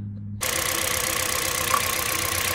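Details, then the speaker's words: Kia Rio at idle: a regular stumble with one pulse missing each cycle from a constant misfire on cylinder 4 caused by a failed ignition coil (cylinder 2 misfire intermittent); fixed by replacing the coil and spark plug. "pero yung number four so active na siya means to say that it is always ah having a misfiring"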